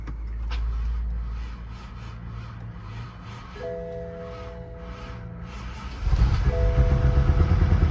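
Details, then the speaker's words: BMW F10 5-series V8 auction car, 40,000 miles, started at Copart: dash chimes, engine catches with loud, rough, unsteady low rumble, then dies without settling into idle; a burning smell is noticed. "there she is and there she dies is it up something smells like it's burning"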